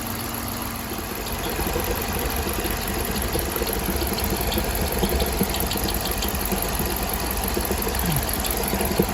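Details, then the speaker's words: Chrysler 300C 5.7 Hemi after head gasket replacement, warmed up after running a while: steady V8 idle with only faint background ticking, lifter noise gone; sounds real good. "after letting it run for a while I don't hear the lifters anymore sounds real good"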